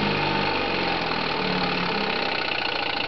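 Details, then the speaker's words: 1963 Johnson 5.5hp Seahorse twin-cylinder two-stroke outboard on a 1978 Sea King 12' boat, trolling slow and not fully idled down: even, steady beat with the firing almost countable; smooth, normal running. "I don't even have it idled all the way down, but I mean, you can darn near count the cylinders as they fire. It'll troll so slow. And just a smooth little motor."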